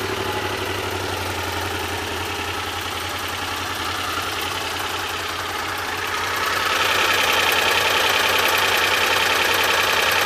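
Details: 1986 Honda VFR400 NC21 V4 idling with a quick steady knock about three times a second, sharper and louder after a few seconds; cause undetermined.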